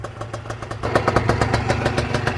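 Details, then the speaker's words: Honda NSR 125 two-stroke, cold and on choke after a rebuild; it would not start without choke and only fired after the barely-12 V battery was charged. Uneven popping rough idle that stumbles but keeps running; owner thinks it needs to warm up. "odpaliła pierdzi buczy ale nie gaśnie póki co jest na ssaniu bo nie chciała odpalić bez niego"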